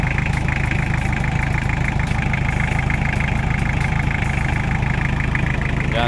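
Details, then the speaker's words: Toyota Tamaraw FX, Toyota 2C diesel, after repair of misfire and hard starting, started in neutral and now starting on one click: regular, smooth clatter holding a steady idle without stumbling or dying; normal idle. "Ayan, good job na mga kaibi. At naging okay na. One click na lang siya."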